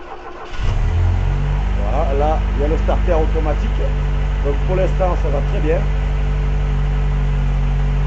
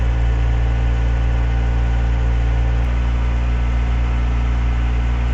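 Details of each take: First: Renault 17 TS with rebuilt Weber 32 DARA 4T carburettor and automatic choke, first start after refit without air filter: cranks, catches quickly, settles to steady even cold fast idle on all four cylinders with intake air hiss; normal idle. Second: Renault 17 TS with a rebuilt Weber 32 DARA 4T carburetor and automatic choke, cold: slightly lumpy fast idle at 1500–1700 rpm, running rich while the choke flaps stay closed and smoothing as they open. Target idle is 800 rpm.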